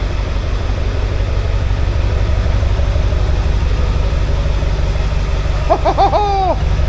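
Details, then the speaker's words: Ford F250 7.3 Powerstroke diesel after a crank-no-start fixed with starters, solenoid and injector drive module: steady, even low diesel clatter at idle, no misses or knocks, short chirp near end; smoking a bit, engine light on, good oil pressure; normal idle. "We've got a truck that runs. It's took a couple of weeks, but it runs. That sounds wicked, to be fair."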